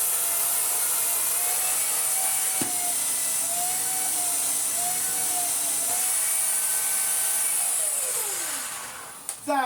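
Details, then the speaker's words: Dyson DC54 Cinetic cylinder vacuum after refurbishment, turbine floor head with bearing oiled and hair cleared: strong high whirr holding steady pitch, not slowing when it hits carpet; normal running. "what it should sound like. It had its bearing oiled, it was full of hair as well. Doesn't slow down when it hits the carpet, which is key."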